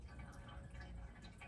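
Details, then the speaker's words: 2011 Jeep Wrangler Sport 3.8 L V6 oil change, fresh oil poured into the valve cover: quiet trickling and dripping inside the engine like a rain gutter, oil draining down; normal. "But I'm hearing this like drain all the way down. It's like dropping. It feels like, it sounds like the bottom of a rain gutter."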